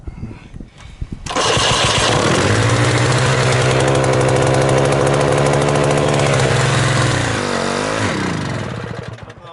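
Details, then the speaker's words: 1979 HTZ T-74 tractor, first start at -8 °C, oil OK, carburettor flooded, decompression on. Uneven cranking bursts, then a fast buzzing run that sags and fades. Wants more flooding when cold; owner blames stiff cold oil. "No proovime vaatame, mis ta tegema hakkab siis. Tahab natuke ujutamist saada, natuke rohkem külmana."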